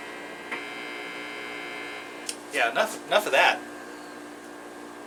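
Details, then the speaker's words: Electric guitar through amp, customer noise complaint: steady low mains-type hum, louder buzzy bursts when strings are touched; grounding fault suspected, not confirmed. "like we got a ground wire or something uh some kind of grounding issue going on so let's uh let's dig into this"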